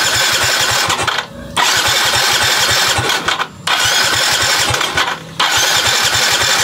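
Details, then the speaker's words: Yamaha Mio i fuel-injected scooter, crank no start: three bursts of brisk cranking with short pauses, never catches; fuel pump runs, but the injector sprays no fuel, injector or wiring still to be checked. "yan so ito ang dahilan kung bakit siya hindi umandar Kasi hindi siya bumubuga ng gas dito"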